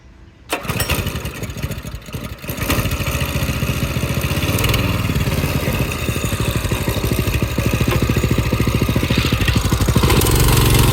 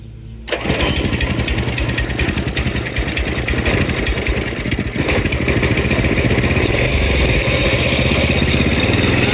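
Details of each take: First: Go-kart small petrol engine with a newly installed carburetor: clutch sounded like grinding gears when climbing a small hill; at startup a harsh gravelly grinding rattle rides over the rapid putter; cause suspected, not confirmed. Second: Go-kart single-cylinder engine on jack stand after fitting a new carburetor: fires instantly, settles into a steady even buzz that builds cleanly with throttle; runs smooth with no misses.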